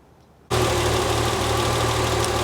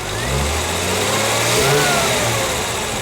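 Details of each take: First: 1973 TVR 2500M six-cylinder, Ford carburettor tuned with Colortune plug: steady, slightly uneven idle with soft low pulse; mixture rich at idle, improving at high throttle; rich idle mixture. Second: 1973 TVR 2500M with rebuilt carburetors, mixture leaned using a Gunson Colortune: three quick throttle blips rise and fall cleanly from steady idle with no stumble or pop, mixture sounds well set.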